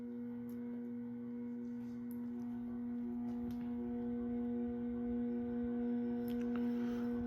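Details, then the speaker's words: Early-1980s CEC-made Moss Heirloom Olympus 52-inch ceiling fan on variable speed control between low (55 RPM) and medium: steady fixed-pitch electrical hum, no rubbing; pronounced speed-control buzz from the motor, some wobble likely from warped blades or balancing. "So, as you can hear, this fan definitely has a very pronounced variable speed buzz to it. Definitely one of the loudest fans in that aspect that I own."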